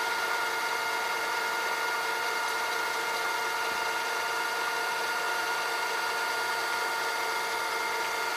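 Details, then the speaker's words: Funai FHC-1200 four-head hi-fi VCR with new belts, in fast forward: a steady high-pitched whine of stacked tones; the motor squeals, and the owner has no oil to quiet it. "Fast forward. I need to somehow shut that motor up. I don't have the oil for it."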